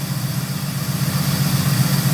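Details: 1971 Oldsmobile 98, 455 V8, 20W50 oil, just started with a new HEI module, still not hot: steady low rumble with an even, lopey beat and no lifter tick, charging 14.3 volts; clean idle.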